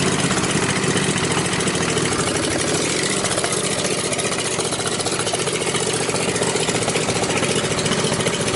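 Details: Riding mower single-cylinder engine after safety-switch bypass and rewire with a new push-start button, blades not yet hooked up: loud, steady open-pipe running with rapid even firing, no misses or knocks, a healthy normal idle.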